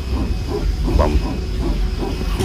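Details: Inside an airliner cabin while taxiing before takeoff: irregular rattling and light knocking over a low rumble and a faint hiss that worried passengers; thought to come from the aircraft's wheels, since the sounds faded once airborne.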